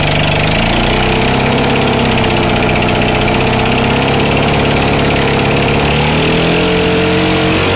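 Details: Stihl Magnum BR800 two-stroke blower at full throttle with choke off, after the high-speed needle is turned in slightly: loud, smooth, high-speed roar with a slight rise in pitch and no stumbling or four-stroking. Running normally.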